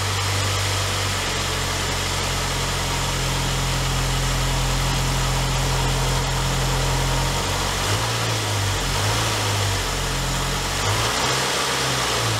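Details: 2003 Saab 9-3 convertible idling right after new spark plugs were fitted, gapped to 1.1 mm: a steady, even hum with a slight drift in tone and no misfire or tapping. The engine idles normally.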